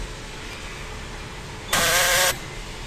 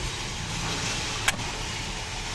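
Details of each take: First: Power door lock fires three short, harsh buzzing rattles like a machine gun: the actuator gear slips because play develops along its track; fixed by shimming behind it with a thin strip cut from an aerosol can. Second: Car electric door lock after fixing its machine-gun-like rattle by shimming rail play with thin aerosol-can metal: single short, clean actuator click over steady hiss, no rattle. Noise gone.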